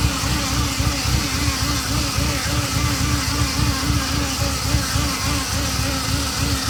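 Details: Ferrari Mondial 3.2 at idle shortly after a cold start: a fine buzz pulsing three to four times a second that begins as oil pressure rises and fades when warm, loudest on the braided oil hoses to the fan. Source unconfirmed.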